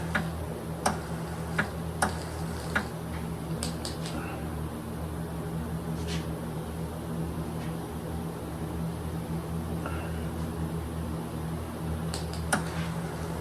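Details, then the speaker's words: Greener KK HD powder coating gun with kV set high while coating a bird bath: irregular sharp snaps and ticks of electrostatic arcing over a steady fan hum; keeping back should avoid spidering the work. "I can hear it crackling but as long as I stay back it should not spider the work"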